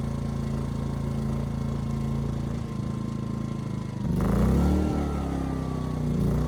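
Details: Ryobi RYI2300 inverter generator, 15 months old, after fix: stalling under heavy load solved by turning the easy-start knob further. Steady drone, brief speed bounce as load comes on, then settles and holds smoothly; normal running under load.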